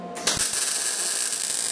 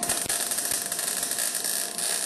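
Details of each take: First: Eastwood MIG175 with C25 gas at about 15 CFH, after raising wire speed: a steady, even frying hiss with no popping or sputtering; a normal, smooth MIG arc. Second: Eastwood MIG175 welder, about .030 wire, C25 gas around 15 CFH, welding a cart: hissy uneven arc with scattered pops instead of steady frying crackle; wire feed speed set too low, better when raised. Wire feed too low.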